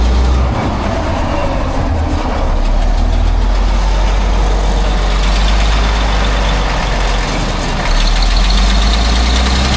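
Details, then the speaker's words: Cat 651B scraper repowered with a Cat C15 6-cylinder turbo diesel, with a low-power complaint, running: loud, with a rough fast puffing tick over the deep rumble. Bad exhaust manifold leak, likely causing low turbo boost; fuel pressure and boost to be checked. "Sounds like it's got a bad exhaust leak. So, I'll check the fuel pressure and I'll check the uh boost first off cuz it could be a boost issue."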